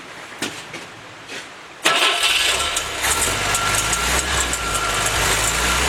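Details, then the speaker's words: Willys F-head engine for a snow blower jeep, freshly built, first run on newly fitted Weber carburetor, 180 thermostat; smooth steady idle with even low beat, no knocks or misses; normal idle. "okay guys we're idling looks like 748 pounds um just open up i've got a 180 thermostat in there and let's see how this is super smooth i like the way that feels"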